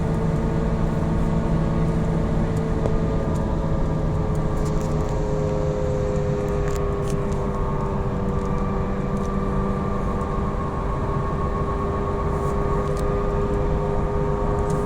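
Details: Falken FK510 tires: steady low drone with a few faint tones over road rumble while cruising, most likely loud tires.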